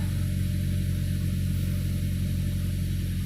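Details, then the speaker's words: Honda Civic just fitted with a cold air intake, check engine light now on: idle with an uneven low pulsing about three times a second; owner suspects a bent, over-tightened vacuum line restricting airflow. "I don't know. It's got to be that vacuum line. So, it's clamped a little too tightly and it's bent. Maybe it's not getting airflow through it or whatever it needs."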